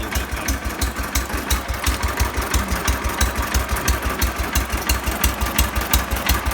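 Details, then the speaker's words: 1970 John Deere 140 that would not start for lack of fuel, fired after pressurizing the gas tank: slow, steady low thumping idle at roughly 250–500 rpm, firing regularly with no knock or miss; normal idle. "Gave it a little bit of pressure, and it fired right up. Idling it like, I don't know, 250 RPM, 500 RPM, something like that."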